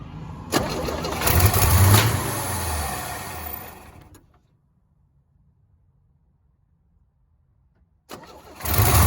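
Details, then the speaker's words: 1965 Chevy C10, sitting since 1994, first run: catches, revs unevenly, sags and dies within seconds; gas pedal sticking since throttle return spring was removed during fuel hose work. "Well, there you have it. The gas pedal's kind of sticking. I think probably help if I put a return spring back on it."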